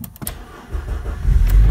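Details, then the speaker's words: Renault Duster that only clicked and would not start when the key was turned: after bolts were tightened and the battery terminal reconnected, a couple of starter clicks, then it catches within a second and settles into an even low rumble. Normal start, no errors. "Отлично все все заработало ошибок никаких нет"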